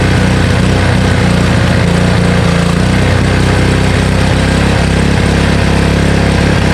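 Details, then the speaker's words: Honda Harmony HS520 four-stroke single-stage snowblower after carburetor clean and governor spring and idle screw adjustment: smooth, even single-cylinder putter holding steady speed with no hunting or surging; engine running healthy. "I was messing with the governor spring over here, as well as the idle screw, and after I let it run for quite a bit, it started to run really well without any surging, so it was really good."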